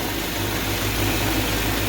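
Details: Mercedes ML500 5-liter V8 after replacing belt thrown by a bad tensioner, possibly slightly low power steering fluid: steady, even idle with no knocks, squeals or belt chirps; normal idle.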